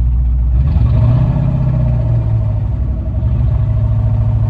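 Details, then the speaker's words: Roush Mustang with a 4.6 V8 and 124,000 miles, started and idling. A deep idle with an irregular stumble and uneven pulses indicates a misfire; someone is suspected of having tampered with the car. "It sounds to me like we've got a little bit of a misfire here. It feels like it."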